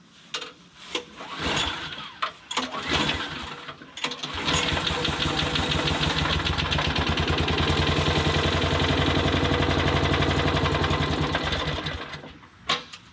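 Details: Modified lawn mower, freshly finished with oil added and blade guard refitted, first start: catches on the pull, then a steady even patter around four beats a second with no misses or knocks; runs normally.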